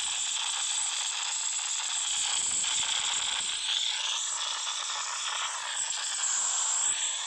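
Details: Samsung Galaxy Note 9 loudspeaker during playback: a constant harsh hiss with ratchety crackle and no clean audio underneath; the static occurs randomly and stops only after a phone reboot, cause unknown.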